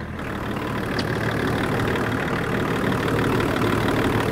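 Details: 24-year-old Range Rover P38 diesel, abandoned five years, jump-started and idling to warm up to thermostat temperature while bleeding air from the coolant system: even, settled diesel clatter at steady idle, no knocks, misses or hunting; healthy diesel.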